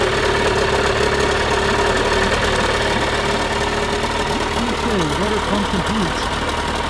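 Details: 1986 Mercury 35 hp outboard just fitted with a new water pump, running and pumping water: steady, even buzz with some warbling tones and no knocks, misses or surging; sounds healthy.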